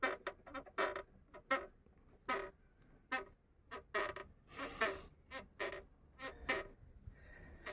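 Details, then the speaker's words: Isuzu Trooper body panel creak heard inside the cabin while driving, two years hunting it: sharp squeaky metal creaks in uneven bursts from a panel behind the front fender liner whose two spot welds tore, with a crack nearby; fix is drilling and bolting it tight. "когда едешь на машине стоянов салоне стоит скрипт все это очень слышно внутри машины вот вот этот кошмар я искала два года"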